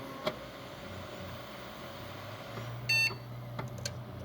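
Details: Desktop PC that had given four beeps and no video signal, booting after the same RAM stick was moved from a faulty slot to the other slot: the fan spins up with one short beep, no error beeps, and video output returns.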